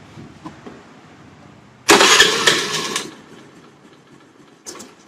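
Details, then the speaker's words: Honda Dio scooter after replacing a shorted spark plug that had stopped it starting: short crank, engine catches with a sharp burst and drops to a quiet idle; starts promptly and runs normally. "तो जैसे कि आप देख सकते हैं कि गाड़ी start हो रही है और गाड़ी में कोई इशू नहीं है अभी। पहले गाड़ी के अंदर स्पार्क प्लग शॉर्ट होता है, इसलिए गाड़ी स्टार्ट नहीं हो पा रही थी।"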